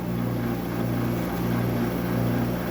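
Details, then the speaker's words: General Electric portable air conditioner found in the trash, possibly previously opened: loud constant hum with steady low drone; noisy fan motor, unit seems to still have refrigerant. "A noisy fan motor. Well, it sounds like it has freon in it. It's very loud as these are. These things are so so noisy."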